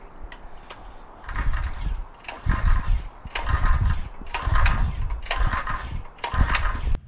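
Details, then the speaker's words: Harbor Freight small engine fitted with an experimental 3D-printed ABS plastic piston, during butyl acetate fuel tests: rope pulls about once a second, each a brief rattly churn that dies straight away. Cranks but will not start; cause suspected, not confirmed. "well i'm a little bit disappointed that it wasn't able to run with the plastic piston"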